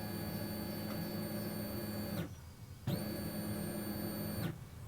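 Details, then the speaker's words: Mercedes non-runner, microphone under the car, fuel pump activated via diagnostic tool: steady electric hum with high whine, cutting off cleanly and restarting at same pitch; fuel pump works normally. "I'm back in on MB Star checking the fuel pump and now, right, can you hear me over there? I've put me uh microphone underneath the car."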